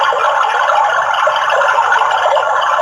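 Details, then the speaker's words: Water tank full overflow alarm (A88 chip IC board): loud continuous warbling siren with a Hindi/English voice announcing the tank is full and asking to switch off the pump motor. "सावधान, पानी की टंकी भर गई है। कृपया motor बंद कीजिए। Attention please, water tank is full. Please switch off the motor."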